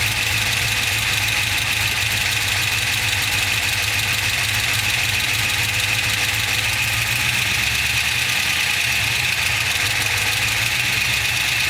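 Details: LS2 V8 engine ticking at idle: fast, light tick about three per second above a loud, even engine note; top-end tick, cause unconfirmed.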